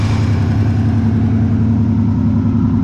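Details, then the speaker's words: Shop truck with a swapped-in 350 V8, warming up before a test drive to see whether it idles down on its own; a steady, even pulse of about 3.5 beats per second with no misses or knocks; normal warm-up idle. "see how this thing warms up and see if it'll idle down on its own see if i have to adjust it a little bit"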